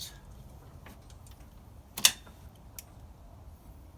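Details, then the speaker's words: John Deere 110 TLB compact tractor after replacing the relay box timer module: key on gives one sharp, solid click as the injection pump fuel shutoff solenoid energizes properly; fixed no-start. "and what that does is that energizes that solenoid in there on the injection pump and whenever you hear it click that means it's energized and the motor will run"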